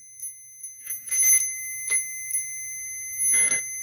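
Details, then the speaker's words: 1997 Arctic Cat Thundercat throttle safety switch tested with meter: tone comes in short broken chirps instead of a solid beep when the wiring is moved, switch losing contact; bypassed with a jumper wire until the assembly is replaced. "two and this are for safety switch and that if I move this around it loses contact so I'm going to jump the outside and that one for throw a safety switch until I can replace this this assembly in here"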